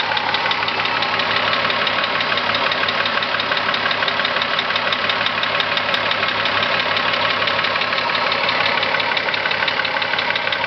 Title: corrado vr6 engine knock